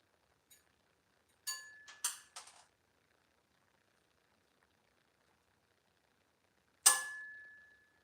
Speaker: stainless steel expands and shrinks about 100 about 50% more than what um mild still does so that slag pops off a pretty crazy rate